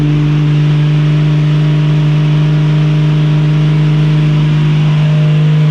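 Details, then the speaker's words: 1965 Mustang inline six after carburetor cleaning: engine roars at steady very high speed, stuck at full throttle because the accelerator linkage was never hooked up. "Clearly I forgot to hook something up. Oh, yeah. Whoops. Never hooked up the accelerator linkage. She was on full tilt."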